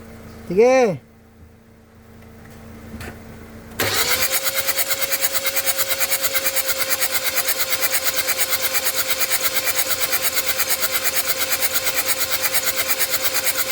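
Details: 2014 Hyundai Santa Fe no-start evaluation. Fast, even cranking for about ten seconds without catching. Cranks but won't start.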